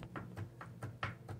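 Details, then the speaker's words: Rolls-Royce Phantom 2 Continental front axle, front brake cross shaft rocked by hand in its Babbitt-lined chassis bushings: light dull clunks about four a second from considerable play; worn cross-shaft bushing. "well it's apart we're also looking at our front brake cross shaft this runs through a pair of bushings on some chassis x' this is also Babbitt Adhan one side and we can see considerable movement in"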